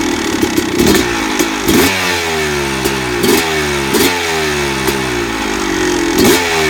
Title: Rm250 rattling noise